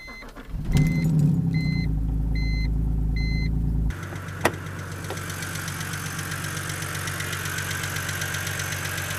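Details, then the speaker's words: BMW N52 inline-six (Z4 3.0si, also 128i/328i E90/E92/E82) on cold start: cranks and idles with light fast lifter tick, lifters unadjusted because the engine is cold. "lifter tick is basically how the lifters on your engine are just unadjusted because is when the car starts up it's cold so they aren't adjusted for that temperature"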